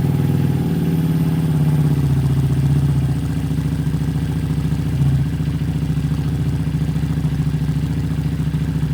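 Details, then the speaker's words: Harley-Davidson Street 500 chassis with 17k miles, fitted with a new Street 750 engine of only 60 miles, flashed with a new dealer FP3 tune: low, even V-twin thump at a steady idle, settling slightly with no clatter; normal idle. "so the 750 is purring like a kitten"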